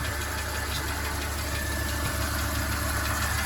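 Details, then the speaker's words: 2005 BMW X3 idling: light ticking chirp about two or three a second, not from top or front of engine, seeming to come from flywheel area at bell housing; starter believed replaced about a year earlier; source unconfirmed. "it's this chirping sound, this ticking sound. [Applause] And it does not seem to be coming from the top of the engine or the front of the engine."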